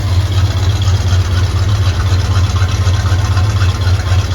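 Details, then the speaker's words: Chevrolet Silverado square-body farm truck, on jack stands just after the catalytic converter was cut out: a deep, loud, throaty V8 idle rumble pulsing evenly, with no puffing or ticking from joints and no exhaust leaks. "sounds pretty good I don't hear anything like crazy exhaust leaks that's huge shuffling's a lot throatier I think that cat was really choking it up in here"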